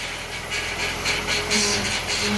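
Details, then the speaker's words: 1998 Honda Accord EX 4-cylinder idling with a steady whine over heavy hiss. The power steering fluid level is full, so the power steering pump is bad and is being replaced. "turn of this year we'll hear that pump whining that means power steering pump and bats got plenty of fluid in it the pump is bad"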